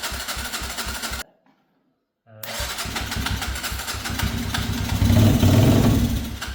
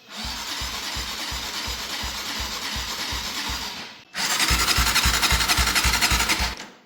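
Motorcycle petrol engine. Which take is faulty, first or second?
second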